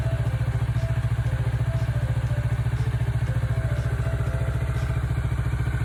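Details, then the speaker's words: 2013-registered Kawasaki Ninja 400R, 400cc, started after three months unused with inspection expired, battery expected flat: steady, even idle about three and a half beats per second, no knocks or misses; normal healthy idle. "初めから3月初めまで3ヶ月全くエンジンかけてなかったのにちゃんとかかりました。"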